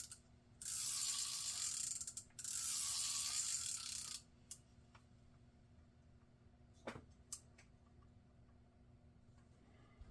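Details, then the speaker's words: Garcia Cardinal 754 vintage spinning reel after repair: two bursts of rough gritty whirring as handle is cranked, then light clicks; gear growl from play in pinion/rotor shaft and handle shaft, bearing fine. "It's got a little slop there in the pinion shaft, rotor shaft. Got a little slop in the handle shaft, so all that slop combined is causing that growl."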